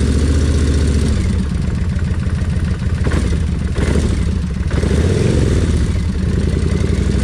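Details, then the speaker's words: Kawasaki Vulcan 1600, warmed up after switching to 20W-50 oil: loud lumpy V-twin idle with light rapid ticking from the rocker arms, front cylinder, sharpening whenever revved; less than before the oil change. "but now the thing is you can take it out ride it around come back in and them Rock arms is going to be Ticky anytime you speed the motor up so you can hear them"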